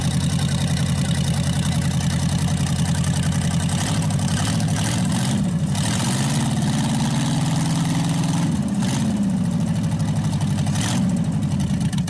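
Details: Packard 374 cu in V8 idling after draining about 5 gallons from the crankcase and cleaning the carburetor, run from a small overhead fuel tank: steady, even low burble, quit skipping, all 8 cylinders firing; still smoky from oil in the intake. Normal idle.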